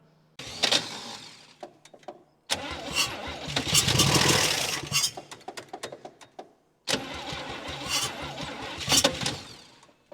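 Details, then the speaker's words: 1959 Chevy Biscayne six-cylinder, freed from a locked-up state after sitting 20 years, day three of start attempts: choppy cranking bursts with brief stumbling catches; runs only about five seconds, needs fresh fuel and a good starter; weak starter and battery suspected. "come on oh come on baby the starter just isn't isn't helping me here at all I'll charge the battery a little bit and see if that'll help it"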